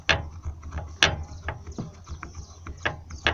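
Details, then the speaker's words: Corsa rear suspension: irregular hollow knocks as a loose, worn-out rear shock absorber bump stop is rocked by hand against its mount, causing a knock heard from the trunk area; the other side's stop is loose but silent. "o que o batente tá estourado oi ó o outro lado também tem só que ele não faz barulho não"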